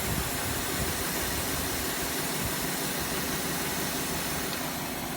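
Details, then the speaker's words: 2005 Cadillac DeVille misfiring badly, probably on one or two cylinders, after a PCM reset: a steady hiss over a rough, uneven idle with no clear knock. Something is hissing under the hood; a stuck A/C compressor pulley is suspected, not confirmed. "I want to see if it's got a start compressor don't can probably hear that but there's something hissing"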